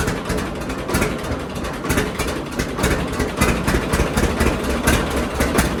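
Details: John Deere D two-cylinder tractor with Autolite plugs before regapping, slow pop about a beat a second stumbling and skipping at idle; misfire from plug gap too tight, fixed by gapping to 0.030 in.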